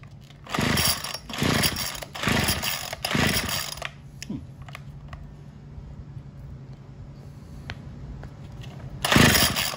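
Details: Craftsman WS210 trimmer after a carburetor replacement, with the bulb and diaphragm parts swapped onto the new carb. Blipped about four times, each rev rises briefly then falls back, never holding full speed, before settling to a low idle; it won't throttle fully.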